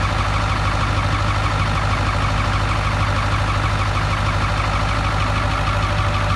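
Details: Ford F-350 with the 7.3 Powerstroke diesel, bought non-running with no oil, starting for the first time in years after a gauge cluster/throttle pedal fuse was fixed. A steady, even diesel clatter at idle, about two beats a second, with no misses or knocks.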